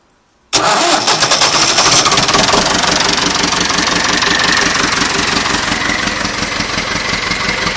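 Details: Nuffield 805 tractor, first start after a full engine rebuild following 10 years lying in a field: quiet, then it catches at once and settles into a steady, even diesel rumble with no knocks or misses; normal healthy running.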